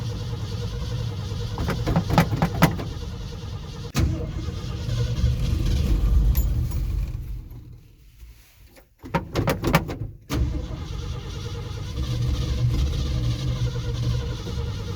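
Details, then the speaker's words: 1969 Ford F100 carbureted engine, cold start after a carburetor rebuild; the choke cable is possibly not set right and the power valve is in doubt. It catches and revs roughly, then bogs and nearly dies when throttle is given. It needs choke and gas together. "Man, you can't give it any gas."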